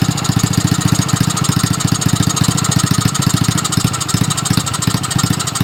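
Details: Small petrol engine after a fix for valve noise: a spacer was added because the rocker part had too much side play, and valve adjustment alone didn't help. At idle: steady low thumps and no valve ticking.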